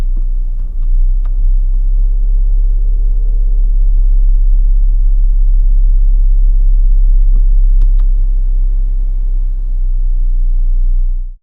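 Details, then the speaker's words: New 2026 Chrysler Grand Caravan SXT, warm engine idling at a red light, brake on, in Drive or Neutral: heavy steady 32 Hz booming drone in the cabin, often very loud, worsened by switching the air conditioning on or off; cause unknown. "It is often very loud. But in addition, turning the air conditioning on or off tends to make the booming noise even worse."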